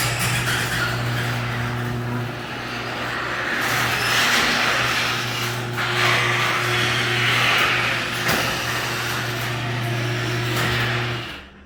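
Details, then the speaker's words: Garage door opening before lubrication: rumble over steady motor hum with harsh scraping from dry, dirty hinges; fix is spraying hinges with garage door lubricant, not WD40. "this one was really dry and had some dirt in the hinges"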